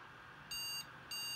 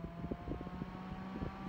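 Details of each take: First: Asus Zenith Extreme motherboard (second board), Threadripper build, RAM added to outer slots per manual: two high-pitched beeps starting the three-beep memory POST error code at power-on; won't boot, though sticks tested good and first two slots boot. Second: Threadripper PC on an Asus Zenith Extreme motherboard with only two RAM sticks in the first two slots: quiet clicks, then fans spin up to a steady hum as it boots past the memory check; normal boot.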